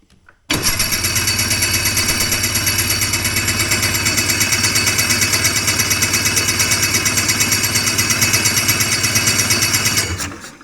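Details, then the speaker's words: Hovercraft engine with new coil and CDI fitted, plugs in, primed, starter cranks it in an even rhythm of about three pulses a second for nine seconds without firing; crank no start, owner then checks spark and compression. "Nothing. What a surprise. What a surprise. Oh, and disappointment, right?"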